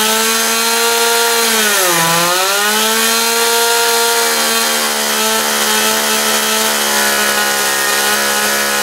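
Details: John Deere EV45 two-stroke chainsaw after carburetor rebuild with new diaphragm: screaming at full revs, pitch dips briefly while the high-speed needle is tweaked (too lean nearly conks out), then recovers and holds steady; runs clean and healthy.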